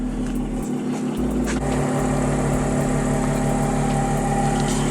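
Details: Fresh coils, spark plugs and valve cover gaskets fitted on a 2010 Audi S4 to cure a misfire; smooth, even idle with steady low tone, no stumble or skipped beats, running cleanly on all cylinders, check engine light off; normal idle.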